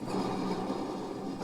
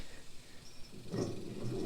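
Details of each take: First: Idler pulley on a used commercial zero-turn mower deck spun by hand gives a gritty, rough rushing sound; worn, noisy idler bearing, which is riveted into its housing and not separately replaceable. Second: Blades spun by hand on a used commercial zero-turn mower deck give a smooth, soft whir coasting down evenly, no grinding or rumble; spindle bearings sound fine.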